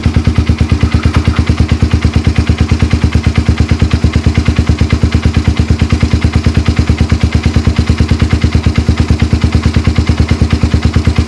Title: Knocking sound in Suzuki FXR 150